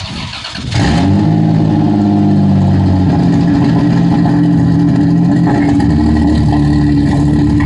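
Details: SC300 with everything connected except one connector: the engine catches and settles into a lumpy, uneven idle with irregular pops, rough running with occasional backfires; cause not confirmed.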